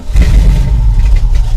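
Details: 1984 Dodge Ram W250 carbureted engine after replacing failed fuel pump, filter, hoses and carburetor, gas poured in carb; engine catches with loud low slightly ragged rumble, picks up and keeps running once fuel reaches the bowl.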